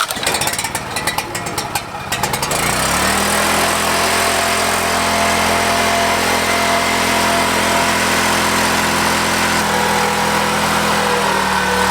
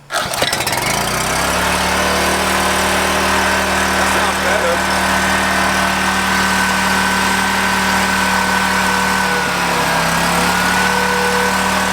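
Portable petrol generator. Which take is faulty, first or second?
second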